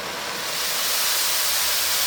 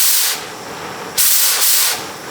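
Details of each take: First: Oxy-acetylene cutting torch with oxygen turned up past the neutral flame: loud, harsh, steady hiss with a sharp roar; oxidizing flame with too much oxygen, close to blowing itself out. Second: Oxy-acetylene cutting torch with the cutting oxygen lever held down: steady, bright roaring hiss swelling as oxygen opens; flame even and settled, correctly adjusted and ready to cut.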